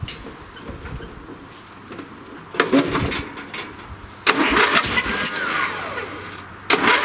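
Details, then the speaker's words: Old late-1980s–1990s lawn tractor engine, with gas sprayed into the carb and running only on choke, catches in ragged, surging, stumbling bursts and never settles to idle. Carburetor gummed with stale fuel and plugged; safety switch also needs replacing. "okay the good thing here is I know it's going to run the bad thing is the carburetor is plugged"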